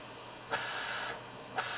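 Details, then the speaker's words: Sievert propane torch with its air-intake holes covered by fingers, restricting air. The steady rushing hiss dulls and softens, giving a cooler, soft bushy flame. "now if I put my finger over these holes that flame will get softer you can actually hear the difference that hissing is quite a hot hot heat and if I put my fingers over the holes"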